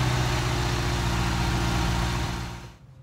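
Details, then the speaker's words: Ferrari 308 V8 during rebuild, after adjusting the idle air screw: even low burble just over 1,000 rpm, cold-start system active so may fluctuate, then shut off; sounds healthy. "okay so that is now idling just over 1,000 RPM uh I'll just monitor this obviously the cold start system is also in play at the moment so uh this might fluctuate"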